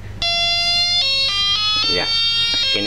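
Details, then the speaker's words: Wall clock melody box after its broken speaker was replaced with a makeshift speaker, tested by joining the two green wires: clear, bright, uninterrupted electronic tune that plays a while, then stops by itself. Melody box working. "berbunyi beberapa saat sampai nanti berhenti sendiri."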